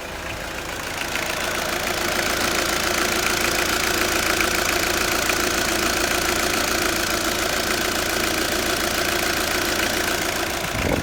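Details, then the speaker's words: Peugeot Partner 1.9 diesel after replacing the squeaking drive belt tensioner and belt: even diesel idle clatter with no belt squeak or chirp; accessory drive now quiet and healthy, normal idle. "we've got rid of all that squeaking noise. Beautiful."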